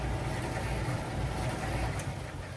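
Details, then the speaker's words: Miele T8003 dryer with an empty drum, brought in for a screeching complaint often caused by carbon brushes: a steady low hum with only a faint, even brush whisper. The slight screech is normal; the earlier noise came from laundry. "There's nothing inside of the dryer, and you hear this, it's not making any kind of noise. This tiny screeching noise is completely normal."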